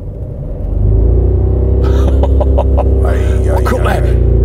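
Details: 2009 Mercedes E 220 CDI (W212, 125 kW, 152,000 km) revved in neutral while stationary to about 3000 rpm: a deep booming drone swells and holds at high revs.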